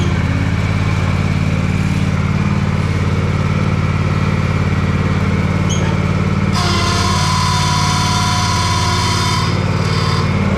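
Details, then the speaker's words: Gravely ZT60 HD zero-turn mower, Kawasaki 26 hp engine, transmission shaft sitting wrong, likely missing or broken bearing: steady engine drone, then strained hiss and whine in reverse as shaft is pulled down; hydrostatic pump bypassing under load. "then you go back and it sucks the shaft down and then it puts a lot of strain on the pump you can hear the pump bypassing in there cuz it's got so much strain on it"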